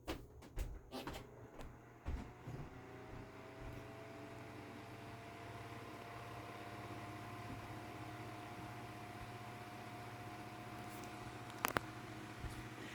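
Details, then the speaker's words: Galaxy (Lasko) 9-inch oscillating desk fan, about 1993, less-used unit, on high: a few switch-on clicks, then a steady even hum with no rattle or scrape, quieter than the other unit. Normal fan running. "I do believe that this one is quieter than the other one which again makes sense because this one it seems like this one hasn't had as rough of a life as the other one"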